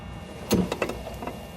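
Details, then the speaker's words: 2015 Yamaha G29 golf cart, seat removed: a short sharp drivetrain clunk plus lighter knocks as the throttle is released, alongside a click that is only the solenoid cutting in; caused by a worn motor input shaft bumper. "I'm going to depress the throttle see if you can hear the clunking noise as I back off you'll hear a click that's only the solenoid cutting in see if you can hear it clunking when I back off is that clunking"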